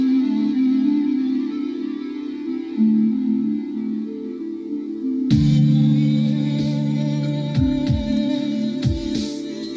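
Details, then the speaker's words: Sherwood DD-2010C twin cassette deck playing a music tape; held notes waver unevenly in pitch. Wow and flutter suspected to come from the belts. "this tune, the first tune on this tape particularly, um, should really bring out the well and flood in this deck. Really audible if there is any, and I think there will be."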